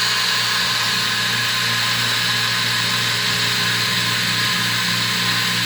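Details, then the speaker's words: Aquabot Turbo T pool cleaner after cutting back to good wire past a failed section near the factory joint; on continuous run, the drive motor gives a constant high whir over a steady pump hum, no stutter or grinding, working normally. "So that's working."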